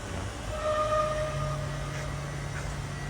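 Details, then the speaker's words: Maka PM270 5-axis CNC router work centre, spindle motor starting its warm-up run before decommissioning: low steady hum with faint even whine holding pitch; normal spindle warm-up. "can just hear the motor's just started its warm-up process there."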